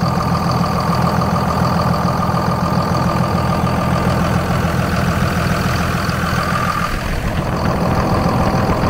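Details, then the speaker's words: 2nd-gen Dodge Ram 5.9 Cummins 24-valve after lift pump upgrade (factory Carter to 100 GPH 17 psi Airdog, big line kit); after long crank it ran a little rough then smoothed to a steady, even deep idle, no miss or knock: healthy. "it fired up ran a little rough then smoothed out and we're golden"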